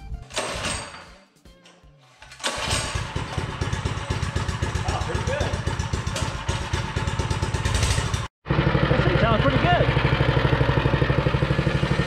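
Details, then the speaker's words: Hind 57 mini bike engine built from spare parts: Predator block, stock cam, polished stock rod, governor deleted, 75 rear sprocket and 12-tooth clutch, started on choke; fires after brief pause, steady thump, pulls cleanly, no misses. "good got the hind 57 minibike together it seems like it's got a lot of power seems like it runs pretty good"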